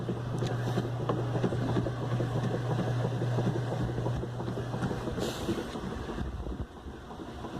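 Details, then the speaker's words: Whirlpool direct-drive washer 7MLSQ8545PT0 after repair of a humming motor that would not start: new motor and capacitor, red and orange wires fixed; even low drone with water sloshing, no buzz, now washes and spins; normal wash cycle. "quité el zumbido el ruido del motor también motor cambié el capacitor y arregló el cable rojo y naranja para que para que quite el zumbido de ruido y ya jala muy bien funcional ya lava y exprime"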